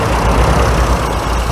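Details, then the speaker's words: Barn-find Austin Allegro, carburetted, on a drive home after years off the road: steady, even low idle with no misses or hunting. The idle is fine, though it keeps losing fuel, cause unknown. "Just going to let him idle a minute. He seems fine now as far as idling."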